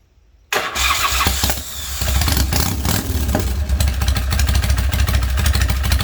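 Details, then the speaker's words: Custom big-twin Harley Springer bobber, hand shifter, self-wired Ultima box, small baffles added in rear exhaust: engine catches and settles into deep loping V-twin idle, steady and strong, no misses; healthy idle. "Have very small baffles in the exhaust. You know, they're not all that restrictive, but it was just too loud before, so I did put a little bit of baffling in the rear part of the exhaust."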